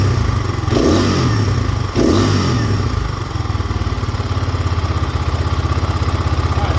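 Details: GPX Moto FSE 250E slide carburettor being rejetted and adjusted: a couple of blips, then a choppy thumping idle at about three beats a second with uneven cadence, smoothed by turning the air screw an eighth to a quarter turn. Rough idle from air screw setting.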